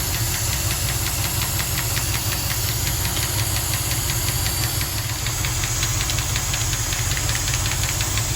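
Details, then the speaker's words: Warm 1974 Jensen Interceptor Chrysler big-block V8 idling after a 15-mile run, oil pressure checked: light, quick, even ticking about five taps a second from a noisy hydraulic lifter, still present. "that's the oil pressure after 15 mile run tapping's still there"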